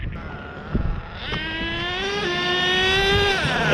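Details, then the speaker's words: HPI Savage XL nitro monster truck (K5.9 or X4.6) after low-speed needle tuning, clutches now working: screaming nitro engine climbs, then drops sharply shifting into second near high RPM, slightly late; normal gear shift. "Yep, that's pretty good. It shifted almost at its higher RPM, right?"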